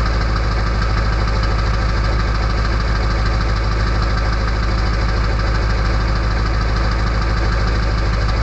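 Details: Early 1999 Ford F-250 diesel cold start at 34°F, sitting on high idle with the exhaust back pressure valve (EBPV) closed: loud, even diesel clatter at a raised, steady idle with no misses; normal cold-start high idle.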